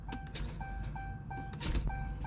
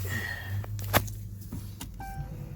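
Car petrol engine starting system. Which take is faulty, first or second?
first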